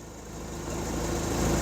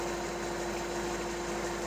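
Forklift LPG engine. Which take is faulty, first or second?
first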